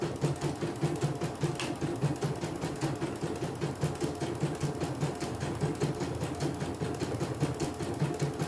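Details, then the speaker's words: CNY E900 embroidery machine after touchscreen repair and cleaning, test embroidery: steady rhythmic needle clatter around a hundred strokes a minute, even and unbroken; good result, stitching normally. "Hasil bagus sih, tidak ada kendala."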